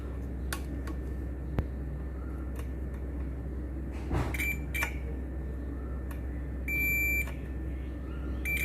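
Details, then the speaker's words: MX HP Pro 20000 amplifier (4000 W per channel) in protection mode: meter continuity beep about half a second across one channel's output shows it shorted, the other channel not; shorted output transistors. "ये output short दिखा रहा है, और इस तरफ का देखिए, इस तरफ का शॉर्टिंग नहीं है कुछ।"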